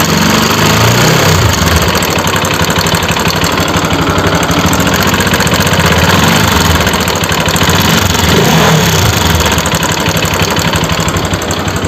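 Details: Bajaj RS200 motorcycle engine running: loud, busy steady clatter at around three beats a second over the running note; abnormal engine noise, cause unclear.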